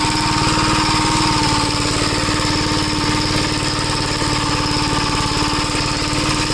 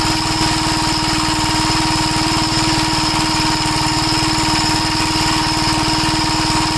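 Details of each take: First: 1961 Gravely Model L tractor after carburetor repair and richening: single-cylinder engine holds a steady, even chug without hunting or surging, and the newly hooked-up governor linkage is working. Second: 1961 Gravely Model L tractor carburetor fuel leaks from the inlet, with the float suspected. Its small single-cylinder engine thumps steadily at idle with a faint whistle and irregular pops. It acts lean and keeps popping however much it is richened.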